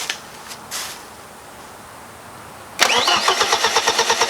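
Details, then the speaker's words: 1995 BMW E36 318ti with a newly built turbo engine, first cranking with the fuel pump fuse pulled to get oil flowing and check for leaks; steady rhythmic cranking that never catches, as intended. "i pulled out the fuel pump uh fuse so we can go ahead and turn it over and get a little bit of oil flowing we're check for leaks"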